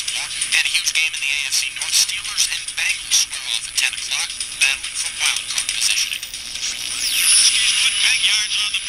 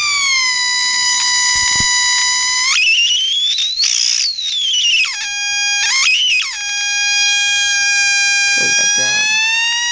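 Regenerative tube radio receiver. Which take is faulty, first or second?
second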